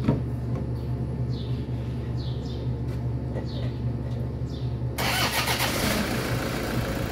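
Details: Toyota Hilux D4D diesel after starter overhaul for a clicking no-start (solenoid contact points cleaned and reshaped): quiet background with birds, then the engine catches cleanly and settles into a steady run; healthy start with no starter clicking.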